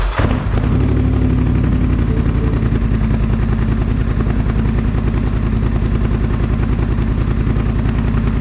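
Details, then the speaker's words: 2021 Polaris Sportsman 850 Highlifter ATV, first start after the straight-pipe exhaust install: deeper, raspy idle with a more pronounced chop of about three to four pulses a second, settling and running steady. Normal healthy idle. "that sounds so much better that is that gives it so so much like the sound is so much deeper and uh raspy kinda at the same time"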